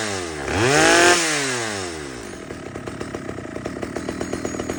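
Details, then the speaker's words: Stihl 011 AVT chainsaw after the low-speed fuel screw and idle were adjusted: following a quick rev it drops back to a fast, even two-stroke idle with steady popping and no hunting or stalling. "So, I took it to the bench, adjusted the the low-speed fuel screw and the idle a little bit, and now just listen to this."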